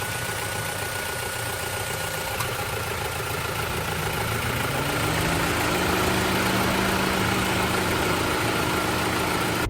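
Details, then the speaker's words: 2024 Toyota Tacoma idling: steady idle with a faint clicking that cycles on and off and a tone shift midway; owner guesses some cooling-system component, cause unknown. "It sounds really strange, doesn't it? People have complained about how the 3rd gen sounds. They must really hate how this one sounds. It's just weird. And that cycling, that constant clicking off and on of whatever it is."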